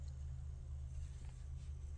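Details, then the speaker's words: Vintage Leslie upper slow motor after cleaning and rebuild, plugged in: soft, steady low hum with no rattle, squeal, ticking or the former pop at switch-on; running smooth and quiet. "quiet it is nah it didn't pop see when I plug it in it doesn't pop like it was popping before so now it's not popping"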